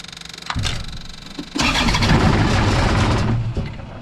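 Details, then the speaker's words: Moffett forklift diesel after failed injector replacement, bleeding air from loosened injector lines: uneven churning crank for about two seconds that never fires, lines spitting fuel; no start due to air in the injector lines. "I'll tighten that whatever one is up keep going and until we get all the air out of the system because every one of those lines has got air in it so figuratively and literally let's get cranking"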